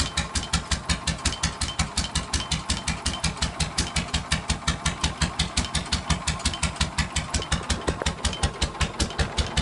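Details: GM 1-71 single-cylinder two-stroke diesel (built 1938–1940, WW2 fuel-ship backup generator), rebuilt, now electric start, throttle at idle position: slow, even single-cylinder beat of about three firings a second, steady and unbroken; normal healthy idle.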